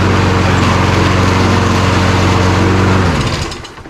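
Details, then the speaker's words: Toro Recycler push mower that sat about 3 years, running: a rapid, fairly regular clatter near four per second, then it winds down; worn plastic drive pinion gears skipping. "Yeah, sounds like something stripped out in there, so let's get this apart."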